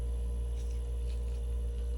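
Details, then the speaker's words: Vissani HVBC31ST beverage cooler after replacing the compressor start device, plugged back in: steady low hum with a faint constant tone, no clicking or cycling; compressor running smooth and healthy. "all right so we're going to plug it in now all is good compressor should come on and we should cool all right compressor's on"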